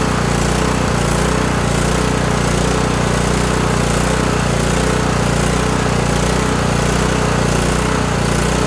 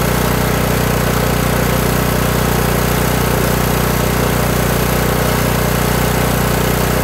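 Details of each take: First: Kohler Courage 18 twin-cylinder engine on a Toro lawn tractor surging badly at idle, a loose wavering beat about three pulses a second with the governor linkage rod rocking; lean idle mixture, carburetor has a non-adjustable jet, before low idle screw adjustment. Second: Kohler Courage 18 lawn tractor engine after turning the low idle adjustment screw (carburetor jet non-adjustable) until it sounded better; the governor linkage rod stopped rocking. Even, steady single-cylinder idle with no hunting or surging; surging stopped, though the fix is unproven long-term.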